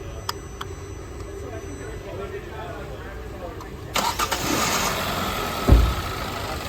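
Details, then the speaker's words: Engine start right after both camshaft position sensors were plugged back in; it would not start with them unplugged. A short crank catches at once and settles into a steady, even idle. Normal start. "will start and run and if I unplug them now it'll stay running because they are not continuously used they're only really used on Startup"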